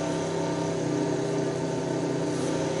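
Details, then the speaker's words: Chinese non-serviceable room cooler fan that spun slowly and wouldn't speed up after about six weeks unused, after oiling its ball bearing with a needle: steady even hum at constant pitch, no squeal or rattle; normal running. "подшипник все заработал еще маленько смажем вентилятор реанимировал будем считать"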